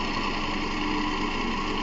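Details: Toyota Camry 2.5 2AR-FE, steady idle: constant whirring rattle from the belt area down low that sounds like the timing chain but is a worn idler pulley; idler and tensioner pulleys and belts being replaced.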